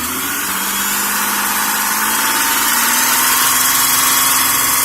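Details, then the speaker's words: 2005 Kia Sorento at operating temperature, after an engine flush and fresh oil and filter: faint quick tapping under light throttle that is quieter at idle, suspected lifter tick; the flush only reduced it, and an oil pressure check is planned. "hearing that tapping right there. And we've let the engine get up to operating temperature and everything, and we still got that."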